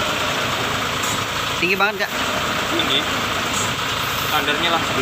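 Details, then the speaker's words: Mitsubishi Fuso 4×2 SL truck idling after clutch readjustment (nut turned about half a turn): steady low diesel hum with no scraping or rattle; clutch noise gone, though pedal height still set too high. "Oke, teman-teman, koplingnya masih terlalu tinggi. Namun, untuk suaranya, sudah tidak lagi berisik."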